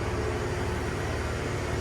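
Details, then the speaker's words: 1970 Ford F100 inline-six idling just after the charging fault was found: low, steady idle with an even soft pulse and no ticks or knocks. It purrs quietly; normal idle. "I don't know if you can hear that or not, but purrs, and it's just quiet."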